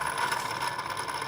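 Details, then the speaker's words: 2005 Ford Explorer 4.6L V8 with a suspected timing-chain rattle: with the engine off and the belt removed, the tensioner pulley is spun by hand, giving a dry, rough rattly rasp with a steady hiss; the worn bearing is close to grinding into the front cover. "you start hearing noises like this take care of him before it happens loo this thing is ready to walk into that front cover okay"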